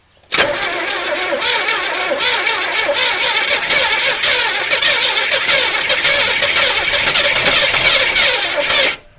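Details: 1981 El Camino sat 21 years, gas in float bowl and down carb barrels: about nine seconds of continuous even starter cranking, no catch, weak starter; two dead cylinders from chewed spark plug wires.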